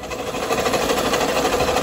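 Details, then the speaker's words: Vehicle on a road trip: fast, even metallic ticking over a steady idle; owner suspects the turbo is failing, not confirmed. "oh my god sounds like the turbo's getting ready to go"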